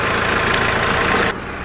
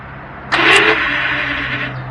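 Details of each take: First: Mitsubishi J25 military jeep with a turbo engine. Steady diesel clatter at idle with no knocks, misses or hunting: the engine sounds healthy, a normal idle. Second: Mitsubishi military Jeep: three cranking attempts, each a harsh rasping grinding whirr of two to three seconds; worn starter Bendix drive gear, fixed by replacing the Bendix.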